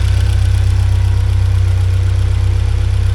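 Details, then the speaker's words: 1979 Porsche 924 after fixing an air leak, new hoses and a timing adjustment, idle set to about 950 rpm: smooth, even low idle thrum with no stumble or misfire; idling healthily. "Yeah, that seems a happier motor now. I think that air leak was causing a bit of a problem."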